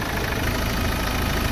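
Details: 2016 Ford Ranger diesel after replacing the EGR cooler and injector washers, which had caused white exhaust smoke, coolant loss and dipstick smoke. A steady, even idle rumble with no knocks or misses; no smoke from the dipstick.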